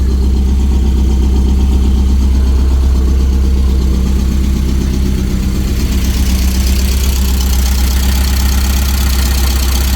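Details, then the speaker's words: 1988 Porsche 944 race car, not run in a few months, started on a jump battery because of a dead battery: low, even idle with no misses, knocks or hunting while it idles up; runs pretty good, normal idle. "Hasn't been running in a few months, so we'll just let it sit here for a few minutes and idle up. Seems to be running pretty good."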